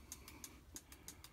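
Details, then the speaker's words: Husqvarna 572 XP chainsaw, engine off, during the AutoTune diagnostic auto test: crisp light tick about six times a second, evenly spaced, as the solenoid is actuated; clicking sounds nice and healthy. "all right so it's actuating the solenoid you can hear that clicking noise nice and healthy"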